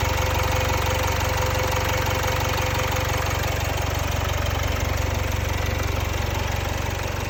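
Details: Jaguar XE 2.0 Ingenium diesel after a dealer timing chain replacement at 72,000 km, fixing a known guide and tensioner problem. An even idle with a smooth low pulse and light uniform clatter, no rattle or tick. Normal idle.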